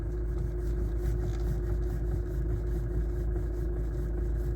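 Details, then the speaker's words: Hyundai Santa Fe, engine running, wheel being turned: distinct soft repeated knocking under a steady idle hum, gone with engine off; failed electric power steering motor coupling. "Мы слышим звук. Отчётливый стук."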